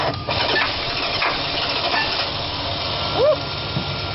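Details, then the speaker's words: 1971 Dodge Coronet on jumper cables: the starter turns the engine over sluggishly with a dragging, uneven rhythm. Slow crank; a battery drain somewhere is suspected. "that sounds much better jumper cable yeah it's kind of a slow crank so it's like a draw somewhere i think yeah"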